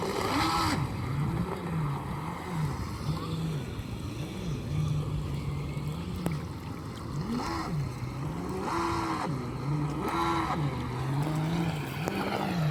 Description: RUNS WITH BROKEN CROSS JOINT (PROPELLER SHAFT CROSS JOINT)